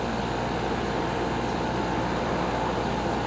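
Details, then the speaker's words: 220V GE garage air conditioner, 2022 season startup after winter, heard outside under load: even steady hum, constant low drone, no rattles or squeals; uneventful normal compressor running, none of last year's groaning noises. "this year was very uneventful and extraordinarily predictable like i said it really didn't make all the money grony sounds that it was doing last year"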